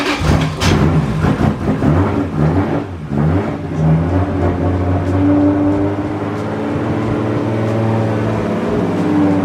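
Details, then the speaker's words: Freshly built Toyota 1.5JZ with all-new wiring and DW fuel system, first start run without coolant: strong, even, clean running with no knocks, misses or rattles; healthy fresh engine. "all right so the car ran started first try ran great and uh we didn't run it that long because we don't have water in it yet"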